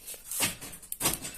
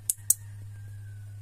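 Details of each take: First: Toyota Kijang original door-lock module after replacing its transistor and resoldering the pins: two quick, firm clunks about half a second apart, with the actuator throwing crisply and more strongly than before, working normally. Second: Toyota Kijang factory door lock module tested in manual lock/unlock mode: sharp relay clicks over a low hum, yet the module may still send no current to the locks, so the output must be confirmed with a test pen.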